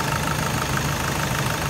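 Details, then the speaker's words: 2008 SsangYong Actyon, sat for four years, idling after the worn tensioner screw was replaced: a steady, even note with no ticking or clatter where it had clacked badly before, now healthy. "here it is together no more clicking sound [Music] no more weird clicking sound"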